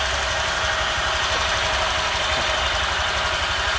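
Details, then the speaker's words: Honda Vario 150 scooter after installing a TCI driver power-up on coil, fuel pump and injector lines: louder fuel-pump hum, easier starting, quick steady idle patter with no knock; normal idle. "Suara fuel pumpnya jadi lebih dengung nih, lebih keluar suaranya. Nah, berarti udah normal, udah masuk."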